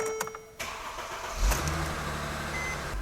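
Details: Mercedes-Benz W204 after steering lock replacement, battery reconnected and programmed key: brief cranking, then engine catches cleanly and settles into a steady even idle with no misfire; healthy start.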